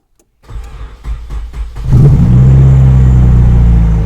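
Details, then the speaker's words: 1996 Nissan 200SX SE-R, sold as spun bearing, no coolant, new battery, in neutral: cranks about 1.5 s, catches and settles into a steady even idle with no knocking; sounds good, only brake and door lights on. "oh no it sounds good there's no there's no lights on"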